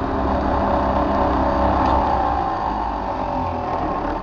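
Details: Older Trane XV90 two-stage gas furnace with its ECM blower ramping up: a loud, rough whirring hum that climbs slightly as the fan speeds up, then fades; noisy blower motor.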